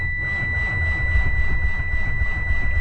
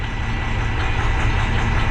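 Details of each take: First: Diesel cranking with NOCO booster on: turns over slowly and laboriously, three to four beats a second with a high whine, not spinning fast enough to fire; smoke coming from exhaust, no start. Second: 2012 Ford, possibly an F450, with 6.7 Power Stroke diesel (a no-start truck) at steady idle during a cylinder cutoff test with cylinder 1 cut: idle roughens and the note shifts, so cylinder 1 is firing; cylinder 3 later shows no change. A turbo issue is also being chased.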